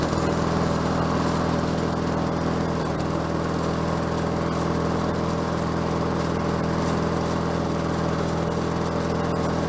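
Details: Bolens 22-inch self-propelled mower with Briggs Quantum engine, bought cheap and just revived (drive cables seized): single-cylinder engine holds a steady even drone, no surging or stumbling; runs smooth and clean.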